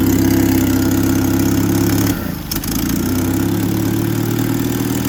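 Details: First start after almost a year, on choke, with a bad Rochester carburetor: loud rough idle with a raspy puffing chuff and uneven rhythm, briefly stumbling mid-clip; exhaust leak and poorly running carb.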